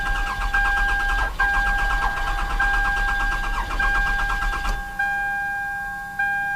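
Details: Toyota Camry with an intermittent no-start and exhaust backfiring, runs fine once started: the starter cranks steadily for seconds without catching; fuel injection present but no coil control seen; cam/crank signal problem suspected.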